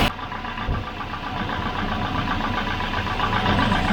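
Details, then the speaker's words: Volvo 240 (244 redblock) no-start investigation: Volvo 940 given the supposedly flat battery from the 240 cranks briefly, catches and settles into an even steady idle; that battery is fine, cause still unclear. "so just to make sure that i wasn't going crazy i just put the one from the 240 that wasn't working that seemed to be flat onto the 940 and it started up fine"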